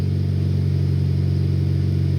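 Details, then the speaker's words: 2002 Saturn four-cylinder petrol engine after repair, idling with a steady, even low hum, firing on all four; minutes earlier it ran like a bad diesel, as if on two cylinders. "this is nice and smooth the engine is definitely firing on all four"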